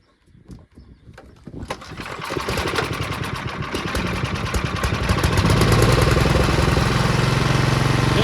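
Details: Ariens two-stage snow thrower model 11528, salvage-yard find, restarted outdoors in a snowstorm with throttle on; catches after a few pulls and settles into an even, steady run with no knocks or misses; normal running.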